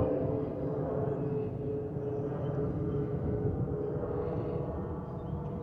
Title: Delta Airlines Airbus A320-211 N325US DL2498 LGA-DTW (FOPP whistling sound)